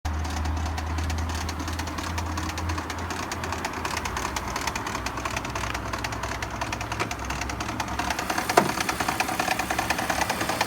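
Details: BMW E46 petrol engine at idle with a loud, uneven banging about three a second; it speeds up with throttle then disappears, and gets quieter when the steering is turned; spark plugs were tightened without effect; cause unknown.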